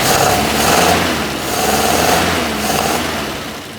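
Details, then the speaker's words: 1976 Squarebody farm truck, first run in 20+ years: once the loose, bolt-missing carburetor is secured, the idle is gentle with a slow rise and fall, no misses or stumbles, and no warning lights. A normal idle. "Whew. Dirty old pig. And they killed it. It's idling just fine."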